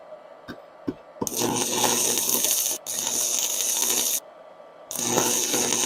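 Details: Faiuot 110V handheld IGBT inverter stick welder with 6 variable current settings, ground clamped, welding rod on metal; a few taps to strike, then loud steady sizzling crackle about three seconds, breaks, resumes; normal stick-welding arc.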